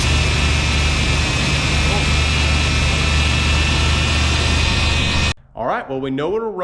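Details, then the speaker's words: 1991 GMC Suburban, 5.7 TBI V8, sitting 10 years, fuel pump hotwired: steady, fast, even drone that never drops to a slow idle; high idle suspected from a missing vacuum line. "there's a vacuum line that's missing I think that's why we have such a high idle still"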